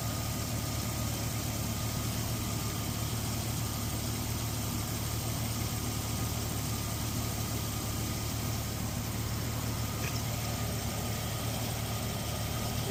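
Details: Jeep Cherokee 4.0L at 345,000 miles idling: smooth, even idle with a low steady hum and no knocks or ticks; engine sounds healthy.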